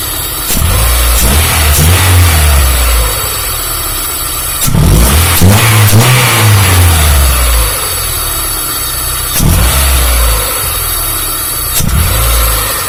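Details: Freshly assembled Honda Civic Genio engine during air-fuel ratio adjustment: steady idle, then several clean throttle blips rising and falling smoothly without misfire or rattle; runs healthy.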